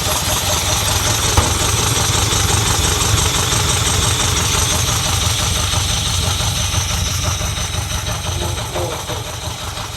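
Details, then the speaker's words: 1979 Ferrari 308, first start, cold on choke: uneven, lumpy idle that steadies somewhat, dies whenever throttle is hit; owner hopes cylinder oil clears out, says it could be point setting, untouched; cause unclear. "It's actually smoothed out a little bit. Hey, not sure yet. It's kind of. Now this could be totally to do with the point setting."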